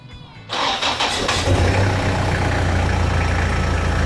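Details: Toyota Prado 120 with the 1KZ-TE 3.0L turbo diesel, started after fuel filter replacement and priming the filter until firm. Brief crank, catches within a second, then settles into a steady, even idle clatter with no stalling or roughness: normal start and idle.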